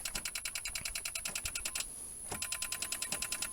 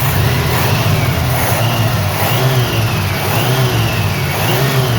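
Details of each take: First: 1983 Chevrolet El Camino that sat untouched for 7 years, with a fresh battery and fluids checked: rapid sharp clicking with no engine turning over. The starter bumped once, then stopped moving; owner fears the engine is locked up. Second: 1983 El Camino V8 first started after sitting untouched for seven years: a strong, deep rumble rising and falling through quick revs, smooth and even with no knocks. A healthy engine that runs surprisingly well.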